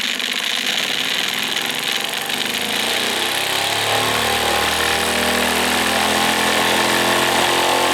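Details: Wilesco D455 tabletop stationary steam engine, at temperature, throttle opened to max RPM after purging condensed water: a fast, even chuffing beat climbs in pitch, then holds a smooth, steady top-revs run. It throws oil from its total-loss lubrication. Normal full-speed running.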